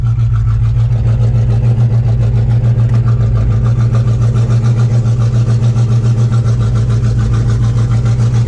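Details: C4 Corvette after replacing the plastic brake booster with a steel one, which cured a vacuum leak and a pedal that went to the floor: a steady, even idle with a smooth low pulse and no hiss or stumble. Normal idle.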